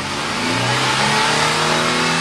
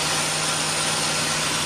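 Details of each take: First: 2004 Nissan Xterra, naturally aspirated, with a newly installed Volant cold air intake: engine pitch climbs smoothly through a rev, holds, then falls back evenly with extra intake rush; runs clean, no faults. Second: 2004 Nissan Xterra, naturally aspirated, idling just after installing a Volant cold air intake, box in place: a steady airy hiss over a smooth warm idle with no knock; likely intake noise from the new intake.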